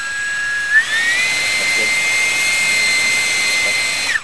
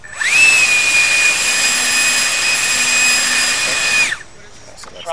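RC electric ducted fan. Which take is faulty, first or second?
first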